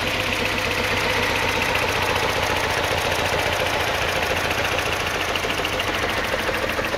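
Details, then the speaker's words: 2007 Mini One 1.4 petrol, six-speed, idling lumpy with an uneven, stumbling beat and irregular chuffs about three or four a second; a misfire somewhere, cause not found, could be an easy fix or not. "now like I said it's got to misfire somewhere um it could be an easy fix then again it might not be who knows"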